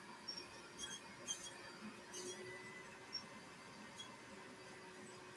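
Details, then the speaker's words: Laser engraver running with short, dry, high chirps every second or so over a quiet hum; the owner suspects the gantry rail and track; intermittent squeak. "Can you guys hear that squeak? I'm definitely going to have to look into that. I don't know what else would be squeaking other than the the rail and the track."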